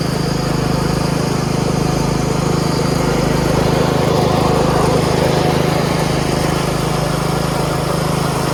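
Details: Yard Machines 38" riding mower, 13.5 HP Tecumseh, after fixing slow cranking and no-start: a steady, even single-cylinder putter at constant speed with no misses or knocks. Healthy running, charging at 13.5 volts.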